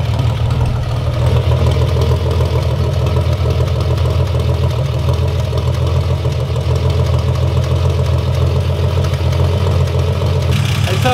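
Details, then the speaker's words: 1955 Ford Popular with its Holley carburettor re-jetted to bigger jets: steady, even low rumble with no misses or knocks; idles smoothly and cleanly, picks up well when revved. "sounds nice at idle doesn't it i mean revving it sounds like it's picking up as if you wanted to"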